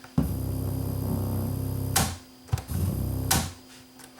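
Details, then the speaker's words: Sony TCD5 portable cassette recorder in rewind: a low, throbbing motorboating hum cutting in and out with clicks, while play and record work. A dirty record/play switch is suspected. "When it goes into rewind, it made some funny noises there. But it does play. Motorboating and rewind."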